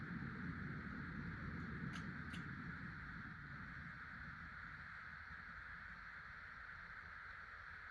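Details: 50" Casablanca Delta II ceiling fan, Emerson K55 motor, dated 1996, after bearing replacement, four blades: steady even rush of air with soft constant hum, no ticking or grinding; no wobble, more air than five blades, silent.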